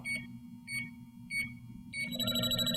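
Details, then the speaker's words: JB Industries LD-5000 Prowler refrigerant leak detector, warmed up, tip held toward test vial (small-hole leak): shrill beeps about every 0.6 s, then a steady rapid alarm near the leak. Should read three to four bars; working properly. "and you should get about three to four bars reading"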